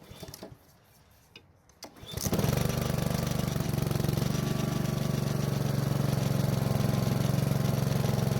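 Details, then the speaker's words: Honda lawn mower that started but smoked, ran poorly and lacked power, after fixing fouled spark plug, old gas and dirty air filter (old filter reused); fires and holds a steady, even, strong run with no misses or surging; normal running. "So it seems like the fouled spark plug, old gas, and the dirty air filter were the main reasons for it smoking and running poorly."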